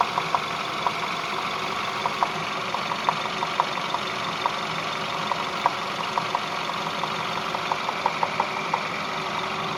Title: Стук в двигателе пежо 508 1.6tnp